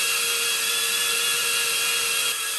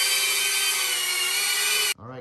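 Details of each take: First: Diatone Taycan 25 cinewhoop, stock ducts before snap-in noise-reduction sleeves: piercing high prop whine holds steady, then spools down; excessive noise attributed to the large gap between propellers and ducts. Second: Diatone Taycan 25 cinewhoop on an 850 mAh 4S battery with a Caddx Vista, after 3D-printed duct sleeves closed the gap between ducts and props: a steady, even high whine with no rattle or buzz, lower and quiet enough to fly around people.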